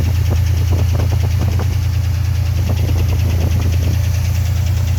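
Deep idle with a rhythmic knock of roughly two per second, in bursts over the low rumble. A knock from inside the engine, cause unknown.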